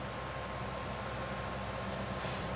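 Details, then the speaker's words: Exhaust fan that was stuck humming without spinning, running after replacing its capacitor and reassembling; steady, even whirring hum with no rattle or dragging, motor spinning freely, working normally again. "Hai sudah berfungsi kembali Hai sudah berjalan kembali Hai nah Hai normal kembali teman-teman"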